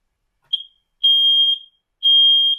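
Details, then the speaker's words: Kidde smoke and carbon monoxide alarm with newly fitted sensor, test button pushed: quick chirp then long shrill beeps about a second apart; the four beeps and a chirp end a normal self-test cycle, alarm ready. "yes yes once you've had the four the four beeps and a chirp that's the end of its cycle and it's all ready to go"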